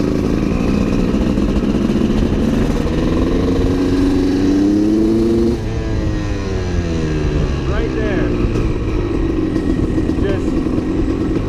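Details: CR250 supermoto two-stroke with a Mikuni carb, before the main jet swap to a 400, heard while riding: revs climb under load, then break into a ragged sputter with no power at 3/4 to full throttle; jetting suspected.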